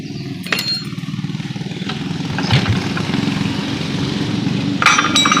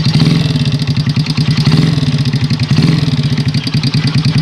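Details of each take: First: Honda Supra Pit X single-cylinder, brought in for a tik-tik noise, after valve adjustment; steady, even putter with only a faint light tick up top, harshness much reduced and the valve train now smooth. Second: Honda Supra Pit X single-cylinder motorcycle at idle with a fast, even tik-tik keeping time with the engine; loose valve clearance suspected, though a loose piston is also possible, before valve adjustment.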